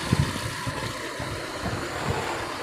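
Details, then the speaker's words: 2005 Suzuki Carry Futura pickup, used, idling: steady low exhaust rumble with even pulses, no misfire, knocks or metallic noises, also clean when revved; engine smooth; normal idle. "terus ini posisi stasioner ya kondisi mesin stasioner sosok suaranya masih langsung masih enak nggak pincang"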